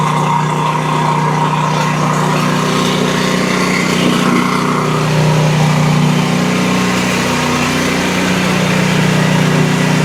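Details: Exmark Quest zero-turn mower, Briggs Intek V-twin, after a valve guide repair for bogging and loss of power under load; a strong, steady beat with even pitch, loud muffler noise, smoking from one side, no stumbling: both cylinders firing, normal running.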